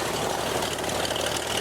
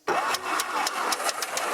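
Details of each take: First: 1949 Beechcraft A35 V-tail Bonanza, just restarted after about 7 years idle, at idle: steady, even engine drone with dense propeller roar, no knocks or misses; healthy idle, oil pressure up, mixture control working. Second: 1949 Beechcraft A35 V-tail Bonanza, not started in about 7 years, cranked via jumper wire: starter spins prop with steady puffing about four per second, nearly catching but never firing; cranks but does not start.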